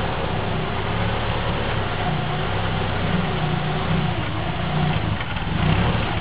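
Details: 1998 Subaru Forester, cold morning, about a mile after start, idling in heavy traffic: revs drift up and down unevenly; apparently fixed by cleaning the IACV, MAF sensor and throttle body and lubricating the accelerator cable.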